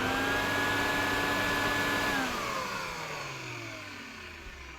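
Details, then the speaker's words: Refurbished Electrolux Z504 vacuum cleaner; smooth, steady high whine with no roughness, then an even falling pitch as it coasts down; the motor no longer sounds gruff and sounds very nice, normal. "as you can hear it sounds very very nice"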